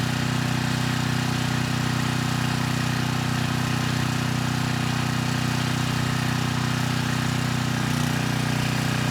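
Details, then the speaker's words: 6,000 watt Troy-Bilt generator after AVR adjustment to 119.9 volts, 3000 watt load test: steady, even drone with a clean low hum, no hunting or knocking, above 60 hertz at about 118.6 volts; normal running under load. "Not bad. It handled the 3000 watts without issue, staying above 60 hertz."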